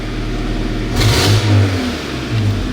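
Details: 1999 Toyota Tacoma engine revving with a loud, raspy, blatting exhaust note — large exhaust leak, very noisy.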